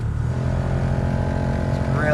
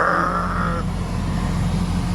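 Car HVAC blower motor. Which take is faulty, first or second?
first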